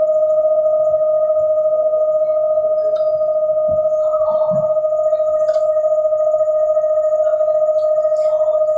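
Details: London Underground Central Line train to Epping near Hanger Lane: loud, steady mid-pitched whistle with fainter higher overtone, unchanged through the ride; unexplained whine.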